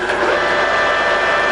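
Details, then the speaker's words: Colchester Mascot 1600 centre lathe, 2000 mm, spindle at 48 RPM, with a mechanical neutral brake. Steady, even whirring with a faint high whine and no knocks or rattles: normal lathe running. "I've got it in a 48 RPM, so pretty low. This machine's got a mechanical neutral brake, so when it's in neutral, you'll notice it slows down quickly."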